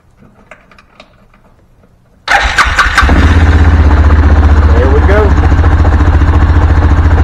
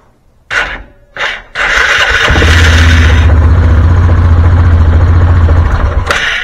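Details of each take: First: Axis 500 4x4 UTV, after replacing the starter and solenoid, in neutral with the parking brake on and the fuel system primed: a few quiet ticks, then a quick crank and clean catch into a steady, even idle; it starts and runs normally. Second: Axis 500 4x4 UTV after new solenoid fitted, in neutral with parking brake set: two short clicks and bursts, then long laboured crank about four strokes a second; starter dragging, needs replacing.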